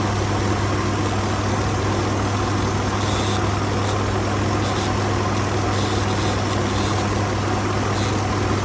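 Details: 2019 Ford F-150 XLT 5.0 at idle, bought used at 43,000 miles: steady low hum with a constant buzz and faint intermittent high rattles. Owner reports rough idle and intermittent stalling; cause of the buzz unknown.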